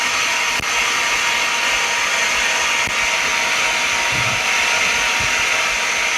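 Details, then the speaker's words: Bubble remover machine in an iPhone 6s cracked-glass replacement demo, after vacuum lamination finished: even, steady hiss and whir with faint ticks during the roughly 4-minute bubble removal; normal cycle. "Okay, now you can hear that the vacuum lamination process, it is finished. And then we will need to wait like 4 minutes for the bubble removal."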